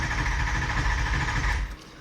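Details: 2004 6.0 Powerstroke diesel cranking with a steady clunk-clunk about three a second but never starting; codes include IAT and MAF; suspected high-pressure oil fault, IPR valve or high-pressure pump.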